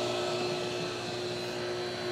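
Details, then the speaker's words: Pentair/Sta-Rite Dura-Glas in-ground pool pump after replacing the loud motor and leaking seals, just powered up: steady, even electric hum with faint whine and smooth water rush, quiet, no rattle or grinding. "running she's quiet let's let her pry him up and I'll check for leaks"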